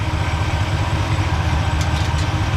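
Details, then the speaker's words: Impala V8 smooth, even idle after fixing low voltage: charging had been only 11.44 V despite a tested-good alternator and new Chinese voltage regulator, now 14.5 V via one-wire alternator; coil had tested fine, owner suspected heat. Deep steady rumble, no misses; running like it used to. "All right. Oh man, she's running like she used to."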